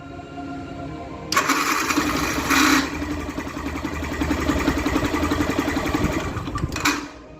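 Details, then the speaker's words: Yamaha Fazer 150 motorcycle starter motor, noisy when starting and shutting off: harsh whirring grind on cranking before the engine catches and idles unevenly; caused by lack of maintenance, fixed by cleaning, sanding and greasing the starter. "faz 150 olha o barulho que tá fazendo nesse motor de arranque galera quando dá a [Música] partida de novo"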